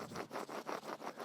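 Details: Subaru BRZ rear wheel hub bearing, removed and turned by hand: a gritty, rough rasp pulsing about five times a second. Worn-out hub bearing, replaced with part 28473FL020.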